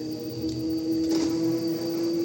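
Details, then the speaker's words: Samsung WD106 10 kg washer-dryer whose drum noise starts after about a minute of running, apparently inside the drum; heater removed, noise persists. Here the drum turns slowly with a quiet, steady motor hum and no scraping. Normal so far. "No momento tá normal, mas quando ela rodar aí um um minuto por aí, ela vai começar a fazer um barulho."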